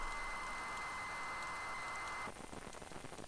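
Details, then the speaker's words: ZX Spectrum cassette tape load: hissy crackle with a thin steady whistle turning into scratchy, uneven clicks; the tape is not reading and the loader fails. "no it's not it's not reading it doesn't sound good to say that's a weird sound this makin"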